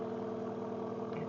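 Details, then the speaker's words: MG TF being restored, not run for years, battery flat and charged before this start: steady, even idle with a smooth, strong exhaust note and no knocks or misses. Normal idle, though the owner says it later turns lumpy and suspects a sensor. "I me that's started up I think she sounds brilliant that exhaust is um yeah sounds pretty awesome"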